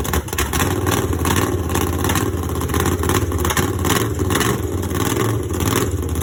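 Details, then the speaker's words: Borrowed small-block Chevy V8 in a drag truck after a crash into a ditch: loud running and revving with a rough, clattery edge over the low rumble; owner thinks something is wrong with the motor, cause not yet found. "i think it sounds like there's something wrong with the motor so let's see if we can't get that figured out nice and easily first"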